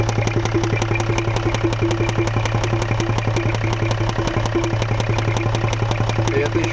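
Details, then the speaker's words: Range Rover 3L diesel, engine not warmed up, no check engine light: sharp regular metallic knock about four to five a second at idle, with heavy blow-by smoke from the oil cap; mechanic suspects piston slap. "Я сразу сказал, что что-то с поршневой, с двигателем. А потому что стук дым."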